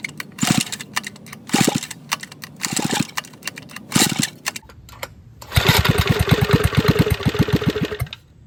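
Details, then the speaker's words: Vintage Donelson Mini Mule minibike, roughly 50 years old, about 60 psi compression, started with penetrating oil and two-stroke mix in the cylinder: slow pulls, weak uneven firing, then dies; low compression. "even though it started 60 is probably the minimum for this motor to run so I'm going to pull it off and see if I can figure out why it's so low"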